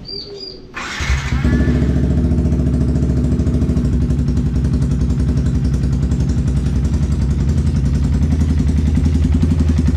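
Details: Yamaha Vixion with a noisy, rough-sounding engine, after repair and reassembly with a new NGK spark plug: it catches after a brief crank and settles into a steady, even idle with a regular beat and no knocks or rattles.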